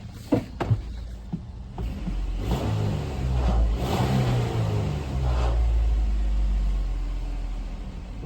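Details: 2010 Jeep Wrangler 3.8 V6 petrol after repairing a subtle cylinder 4 misfire following another shop's tune-up; the advice is to inspect and gap the plugs first: steady low idle rumble with a light rev, no stumble or skip; a leak near a broken bolt remains.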